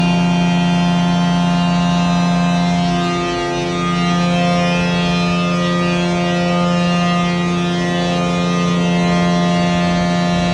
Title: 20220713 LR21001633EA OATKA Blower 3 buzzing sound louder then goes away